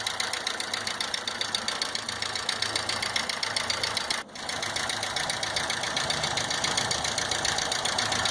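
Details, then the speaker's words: VW Gol G5 1.0 8V EA111, 2012/13, idling: steady sharp tick from cylinder head, about four taps a second, like collapsed hydraulic lifters; lifters due for replacement, oil leak found on teardown. Cause suspected, not confirmed. "Galera, esse barulho aqui é como se fosse barulho de tucho batendo, tá? Quando o tucho descarrega, ele fica fazendo esse mesmo barulho nesse motor."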